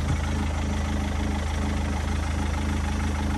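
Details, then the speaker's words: Rover 75 diesel (TD4/M47) after crank pulley replacement; the failed pulley had disintegrated and hit the body. Low, even diesel idle with a steady beat and no knocks or rattles; owner thinks it sounds normal. "to me it sounds normal migrate I don't know I'm a bit dubious because I did it but yeah sounds alright"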